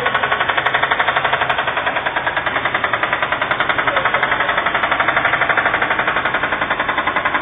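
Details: Subaru Impreza blob-eye EJ20 engine running with loud, rapid hammering knocks about four per second; heavy internal engine knock, engine needs replacement.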